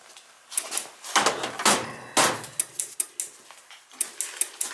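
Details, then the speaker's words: Dunkirk floor-standing high-efficiency gas boiler: irregular sharp clicks about twice a second in a quiet room, relay chattering on and off even with the thermostat disconnected; water found, likely a bad control board. "this connector is still clicking back and forth nothing's still operating on and off on and off and i got the thermostat disconnected we got issues here"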